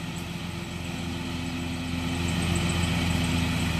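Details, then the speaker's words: Riding lawnmower with a swapped-in used Kohler engine: small single-cylinder holds steady even beat, no hunting or surging, settling smoothly as load comes on; running properly now. "Yep, that sounds better."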